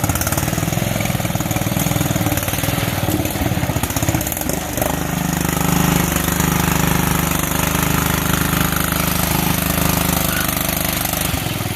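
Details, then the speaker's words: Mud Wizard off-road rig on its last mud run of the day: a rough, choppy engine note, then a steady strained squeal under load from a drive belt slipping. "now in the end of this clip you can actually hear the belt squeal and I probably shouldn't oppose to that clip at the very beginning of the video"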